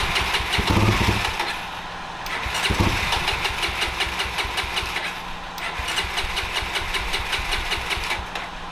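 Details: 1989 Honda NX250 during carburetor rebuild (new gaskets, seat, borrowed throttle return spring; accelerator pump still to replace): catches and revs briefly, then sags and stumbles, can't hold RPM over ~2 seconds; fuel-mixture problem suspected.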